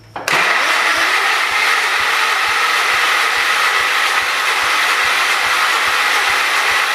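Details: John Deere 212 garden tractor, sat about a year, spark now confirmed: steady starter whirr with a slow thump about three times a second; it keeps cranking but never catches. Cause suspected, not confirmed.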